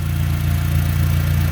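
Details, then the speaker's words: Neglected Honda Civic with hack-job exhaust after failed cat, coolant thirst, overheating: warm startup idle with deep pulsing chuff from an exhaust leak right under the engine, possibly contributing to overheating. "you can clearly hear the exhaust leak right under the [ __ ] engine which might be one of the reasons why it's overheating"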